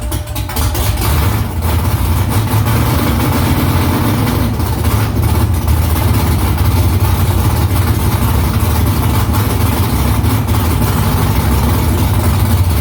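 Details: First start after new headers were installed, exhaust back under the car; louder under the seat. Deep, loud, steady V8 rumble with an even low throb and slight rev swells, nothing knocking. Smoke is from silicone drying around the header. Normal idle.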